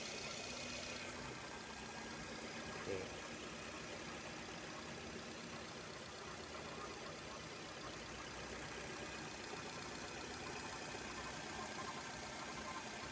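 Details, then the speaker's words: Used car for sale, engine dirty but running; low quiet even idle with a soft steady drone and no knocks or taps, seller says it still sounds smooth. "Meskipun kotor tapi mesinnya masih halus suaranya bosku ya."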